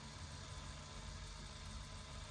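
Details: Amazon RC crawler gearbox, bench-tested at steady throttle, measured around 49–50 dB: constant even whir with no clicks, grinding or surging; gears sound smooth.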